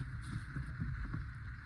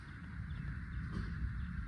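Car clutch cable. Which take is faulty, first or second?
second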